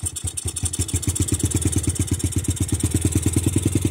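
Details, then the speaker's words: Grom (mini bike) with newly installed Nibbi carburetor and 40 mm KL-48-WT air filter intake, needles set in the middle, throttle and cable not yet adjusted: ragged, hunting single-cylinder thumps about eight a second, won't settle to idle; idle mixture and throttle stop not set. "needles in the middle too haven't adjusted the throttle or the cable or nothing like that [Music] she's not idling"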